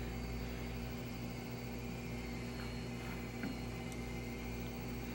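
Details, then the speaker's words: Veeco Dektak 3030 profiler, stage rack screw engaged to the motor: quiet steady motor hum with faint constant tone, no knocks or grinding, as the stage drives inside to its initialization position; normal stage drive. "that sound is, the stage is being driven inside to the initialization condition"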